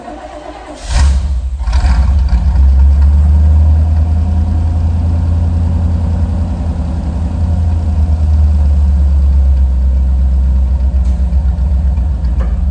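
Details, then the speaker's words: Chevy Van (Vandura) after power steering pump replacement, first drive of summer: quick catch on the starter, then a steady deep even rumble with no knocks or misfires; the engine sounds good though the van rattles as ever. "She's running as rattly as ever, as you can probably hear. The engine at least sounds good."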